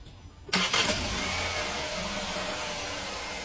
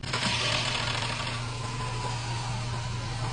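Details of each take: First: Fiat Argo 2020 with a brief rattle at startup and camshaft position sensor fault, after fitting a new timing chain kit: quick crank, fires at once, smooth even idle; rattle near the variable valve timing pulley is gone. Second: 2020 Fiat Argo on cold start, with a camshaft position sensor fault code stored: brief metallic clatter right at startup that stops within a second into a steady idle. Timing chain rattle on cold start.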